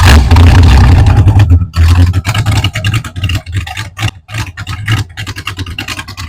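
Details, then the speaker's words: 1934 Ford highboy pickup hot rod with a 283 V8, with headers, at cold idle, not yet up to temperature; oil reading still a little high because the oil isn't warm. Deep, lumpy but steady V8 rumble with even firing pulses and no knocks or misses; normal cold idle. "it's not quite up to temp yet, but obviously oil is still a little high because the oil's not necessarily warm yet."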